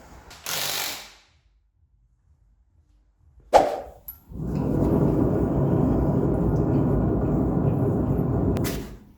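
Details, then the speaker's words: Toyota MR2 SW20 wheel hub turned by hand: rough, gritty, ratchety grinding; dead worn wheel bearing. "that is what a dead wheel bearing sounds like at the shopping baskets"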